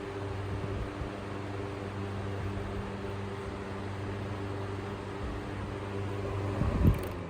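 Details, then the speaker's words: 1954 Emerson 77646-AS 12-inch fan, restored with new capacitor, head wire, cord and serviced motor; on high speed a smooth steady hum with airy rush, moves a lot of air, no rattles; normal running on high. "And high speed. Very big difference on high speed. This thing moves a lot of air."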